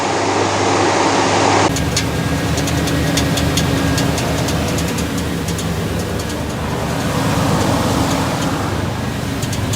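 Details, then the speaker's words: 1989 Chevy K1500 Silverado at cold idle: light, fairly regular metallic ticks, intermittent and only on cool mornings, never when warm; torque converter bolts checked tight; owner suspects the starter pinion barely contacting the flywheel from cold shrinkage. "what i suspect is happening is that when it's cold okay you know things shrink just just enough to make this pinion gear right here barely contact the flywheel that tapping noise is it's intermittent it only does it in the morning when it's cooler"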